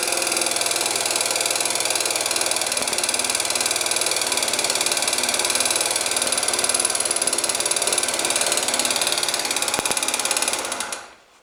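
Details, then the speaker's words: Scooter engine with new crankshaft, piston (0.04 mm clearance), camshaft, chain and tensioners idles with a sharp, ringing metallic knock; later traced to the piston. "стучит вот такой вот звонкий к идёт из двигателя непонятно почему"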